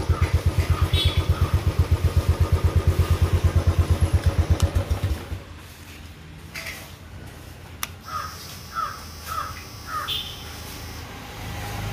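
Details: Royal Enfield Classic 500 with starting and missing problem, fuel pump not running: five seconds of even, rapid starter cranking with no firing, then quiet; hard starting, cause unclear.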